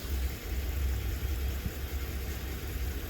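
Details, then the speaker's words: Honda Shadow V-twin motorcycle, first start since being parked in 2019 (carbs had stuck closed, stale fuel, burst battery): low, loping rumble ticking over steadily without stumbling, a normal idle after first start. "I feel good though. I got it starting, and she's idling."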